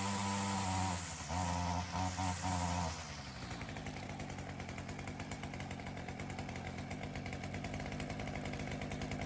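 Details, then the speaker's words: Ryobi CS30 two-stroke trimmer with new aftermarket HiPA carburettor; crisp even buzz settling into steady consistent low idle without stumbling, throaty note, healthier than old carb; normal running. "Well, that sounded awesome. I didn't realize how bad that other carburetor made the engine sound. That has a lot of throat to it."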